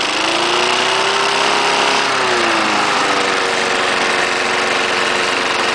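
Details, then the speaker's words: Trash-picked 1974 Snapper lawnmower engine, after adding new gas to a bone-dry tank, owner playing with throttle: steady, even pitch, no misses or knocks, settles smoothly after speed change; normal running. "yeah it's so nice more starts right up yeah that first start I did started right out it was cold I did not start it prior to this video"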